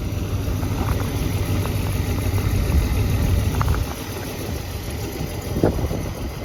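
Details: BMW E34 520i Touring at cold start: rough uneven idle rumble with irregular knocking pulses and a loose tick overhead, then white smoke from the exhaust; cause unclear.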